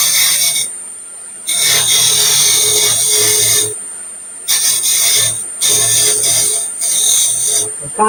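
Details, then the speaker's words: Lathe turning an out-of-round wood blank after fixing chuck run-out from unthreading: repeated rasping cut bursts as the tool catches high spots each turn, the sound getting lower as the piece comes round. "you can hear it as it's you can hear the the sound getting lower and lower as it passes by as you get closer and closer to the to be around the sound as well"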